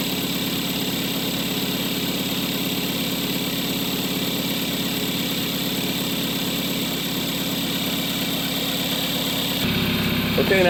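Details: 2013 Kia Soul 1.6L just after alternator replacement with a used low-mileage unit, first start: steady, even idle hum with no belt squeal or chirp, settling smoothly; the engine sounds healthy.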